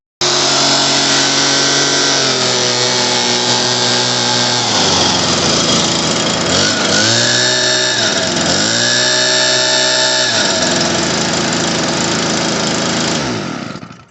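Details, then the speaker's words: Stihl BR200 blower after fitting an aftermarket carburetor, started on choke then taken off choke at full throttle: high steady two-stroke scream that dips and recovers cleanly with throttle blips and holds full revs; runs perfect. "Runs perfect."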